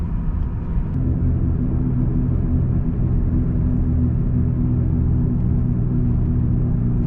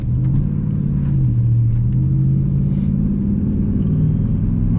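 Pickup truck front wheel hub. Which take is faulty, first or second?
second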